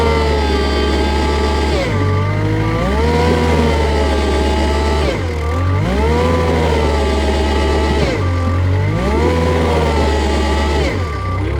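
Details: Kubota 520 hydrostatic wheel loader after the forward and reverse relief valves were swapped: the engine rises and falls in repeated pulls under a steady reverse beeper. Drive loads evenly and is responsive, and forward now hits relief with wheels stopping.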